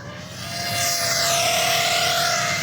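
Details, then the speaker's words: BetaFPV 2004 1700kv motor on an X-Knight 5 toothpick quad, 6S 550mAh, tune unchanged: high buzzing whine wavers unevenly at low throttle and in prop wash; notchier, stronger-magnet motor than Brotherhobby, oscillation suspected to need more filtering. "So this motor is a bit more notchy than the Brotherhobby motor. So the magnets are a little stronger. So at low throttle here, I don't know if you guys can hear that or not."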